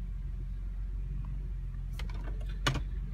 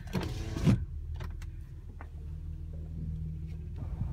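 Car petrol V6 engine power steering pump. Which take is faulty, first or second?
second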